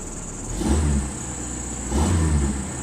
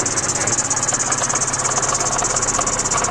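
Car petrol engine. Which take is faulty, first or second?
second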